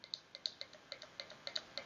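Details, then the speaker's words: VVT solenoid bench test with 12 volts applied and grounded at its pins, after confirming 8.6 V supply at the harness: crisp light clicks about six per second as it opens and closes, operating normally. "But you'll see it moving. So, that's a good sign there. The solenoid is opening and closing as it should."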